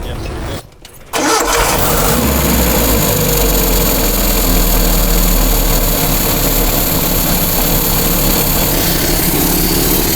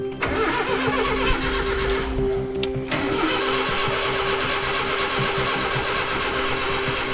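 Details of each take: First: Datsun truck engine after rebuild and retiming from cylinder 1 top dead center: brief crank, then it catches and settles into a steady, even idle with no misses or knocks; normal start and idle. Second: Datsun truck engine being rebuilt, first start attempt: steady starter churn about four beats a second that never catches or fires; cranks but won't start, no spark, possibly distributor/oil pump timing installed wrong.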